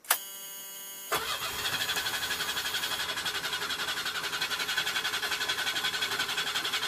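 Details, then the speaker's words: 1976 Chevette 1.4L automatic, hard start: a second of silence then steady fast cranking about three beats a second, dragging without firing despite pedal pumping; owner suspects a faulty choke or old gas; vacuum modulator also failed. "This thing's kind of hard starting at first. I think maybe the choke shot or the gas is old."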